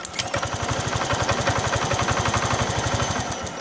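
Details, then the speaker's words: Honda Vario Techno 125/150 scooter after a workaround fix for a stretched cam chain: even single-cylinder idle at about four beats per second with no ticking or rattle; cam-chain clatter gone, normal idle. "Ya, suaranya seperti ini. Suara kletek-kleteknya hilang ya, masalah kata keteng yang molor."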